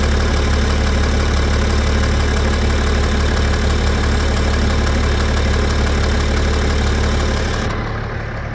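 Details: BMW M57N2 diesel, 400+ hp, driven 30,000 km like this, hot idle: steady rhythmic knock about four a second; absent when cold, louder hotter; no smoke or power loss; not vacuum pump, timing chains, balancer or pulley; owner suspects injector, HP pump, piston or valve.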